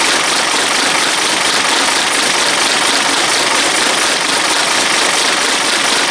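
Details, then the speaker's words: Diesel bus at a rough, clattery idle under heavy hiss, started cold at about 4° with a little easy start after priming; coolant turned out to be empty and a blown head gasket is suspected but not confirmed. "so I've just put water in it turns out we had no water so that was right we blowing the head on it"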